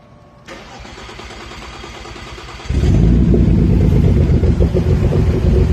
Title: rough idle/start 3.2 a4 b7